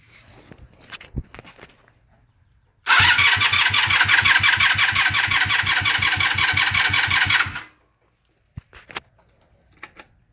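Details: 1997 Honda Magna VF750C: steady fast starter cranking with even compression pulses for about five seconds that never catches, despite new plugs, wires and battery, cleaned and synced carbs, fresh fuel and starter fluid; crank no start.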